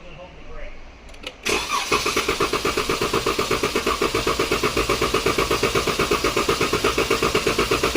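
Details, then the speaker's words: 2014 Dodge Durango 3.6L with misfire code P0304, clear-flood cranking: steady cranking about 160 pulses a minute with slightly uneven beat, consistent with one cylinder low on compression. "okay um I think we got a bad hole here guys"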